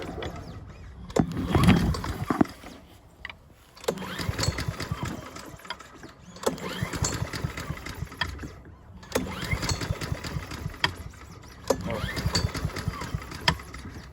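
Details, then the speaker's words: Honda HRN216VKA lawn mower being winterized, run until out of fuel with the fuel valve left on: about five recoil pulls, each a brief whir that dies without catching; no start from an empty carburetor. "You're just gonna crank it about, I'd say maybe 4 pulls till you hear it not starting."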